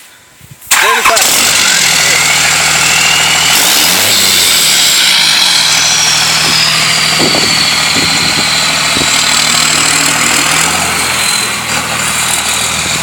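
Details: Diesel first start after six new Bosch 75hp injectors and K&N cold air intake: catches right away into a steady, even idle with a loud high-pitched hiss on top, running smoothly.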